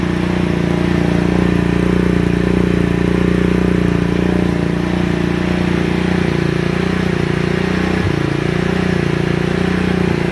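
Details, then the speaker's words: GY6 50cc scooter after carburetor swap, enrichment valve still on: steady even putter about 220 beats a minute, slightly high idle but smooth; idle screw then backed out; normal idle. "it's actually a fairly good idle however it's just a little bit high so we're going to take it out and back it out a little bit"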